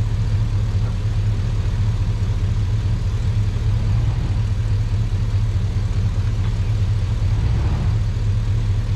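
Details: Truck after sitting a while, in cold weather: deep, steady V8 idle with an even pulse and no knocks or misses; a normal idle.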